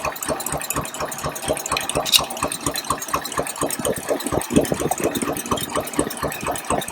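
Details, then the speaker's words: 1953 Packard Clipper Deluxe shop truck, idling after its valve adjustment, with end cylinders given slightly extra exhaust clearance: a soft, even tick about twice per second over a smooth idle with only faint clatter. Valves are properly adjusted. "almost no valve noise when they're adjusted properly."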